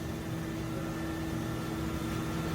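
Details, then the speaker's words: 2012/2013 Mercedes-Benz ML350 V6 after a timing chain and tensioner/guide repair, refilled with coolant: a smooth, even idle hum with no ticking or rattle; normal healthy idle after repair. "check it out you hear that sounds beautiful this job is complete"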